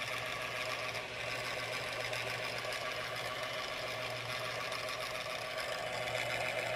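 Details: MSI PE60 6QE gaming laptop: constant loud whoosh with steady low hum and faint high whine, never easing; cooling fan noisy, cause unclear, unrepaired.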